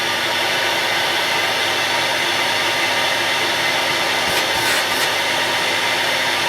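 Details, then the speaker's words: Electrolux Z5010 Excellio vacuum, sold as brand new but in poor condition, exhaust filter missing, started on minimum power: a loud, steady airy roar with a shrill edge and no pitch change. Noisier than it should be; owner suspects the missing filter. "Well, I think that's noisier than it should be because obviously there's no exhaust filter which would muffle the sound."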